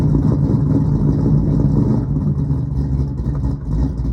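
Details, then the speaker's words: 1976 Chevrolet Camaro small-block V8 (SBC) with Comp Cams Thumper cam, TH350 and three-inch exhaust, idling: very throaty, deep tone with uneven loping beat about four pulses a second; normal lopey idle. "this thing is very very throaty super super deep tone"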